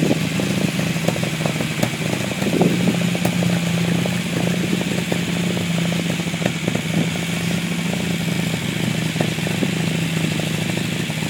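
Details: Unimog 404 first start after new fuse boards and a rewire: steady, even idle with constant low drone and light mechanical clatter holding level; normal, healthy idle.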